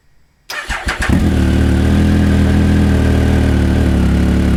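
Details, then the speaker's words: Triumph Speed Triple 1050 S with SP Engineering carbon XLS end cans, baffles fitted, held about 3,000 rpm and revved to about 6,000: quick start into a deep, even, throaty drone; like the stock exhaust with more grunt; normal, healthy. "So kept it about 3,000 RPM, revved it up to about 6,000. It sounds similar to the original Triumph exhaust, but with a little bit more grunt to it. So it's got that triple sound, which I love, with a little bit more grunt."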